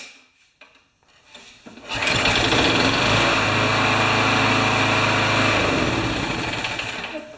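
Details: Craftsman mower with a Briggs Quantum engine that was hard to start, after a new coil and an NGK BPR2LM plug; it starts in two pulls and settles into a steady, even buzz. Normal running.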